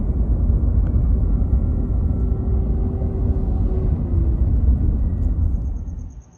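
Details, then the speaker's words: 2021 Ram 1500 Hemi eTorque: a deep engine rumble with a faint steady high whine. The owner feared failing eTorque bearings, but the cause was a failed belt tensioner pulley bearing. "I got that whining sound and I thought, "Oh, man. Here we go. My etor torque is going out. The bearings are going out and it's starting to whine.""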